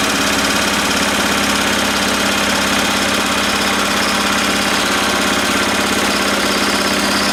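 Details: 1970s Honda E2500 generator after readjusting the governor: steady, even drone with no misses, knocks or surging, holding speed smoothly; normal healthy running.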